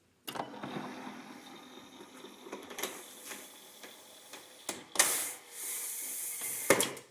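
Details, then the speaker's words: Brand-new 8 ft Minn Kota Talon deploying after silicone lubricant was sprayed on the spike and internal mechanism: low steady motor hum with light clicks, no squeak, fixing its squeal. "there you go not a single squeak let me retract it perfect"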